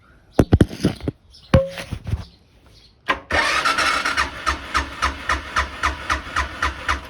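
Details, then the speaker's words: 2006 Suzuki Boulevard S40 after oil change, in neutral with choke, unstarted for a few months: a few clicks, then fires into an even, steady idle thump about four beats a second; sounds good. "Sounds good. I just didn't have the key fully clicked on, so that's why I didn't start. This thing probably hasn't been started in a few months though, so. But yeah, sounds good."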